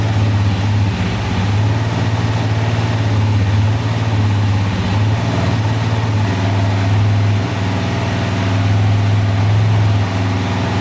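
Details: 2004 DVX 400 quad warming up after a rebuild with new valves, valve seals and cam chain, since every valve had been bent; smooth even single-cylinder idle thump, no top-end ticking or clatter or leaks, a healthy valvetrain.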